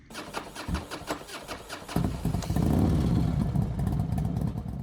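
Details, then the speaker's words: Yamaha PW50 two-stroke with the factory carb on a 65 jet: it catches after a few uneven pops, then runs rough and blubbery with an irregular beat; timing suspected, seems to blow air back out of the carburetor. "Factory carb on 65 jet fires right up. Timing don't sound right. It feels like it's kicking air out of the carburetor."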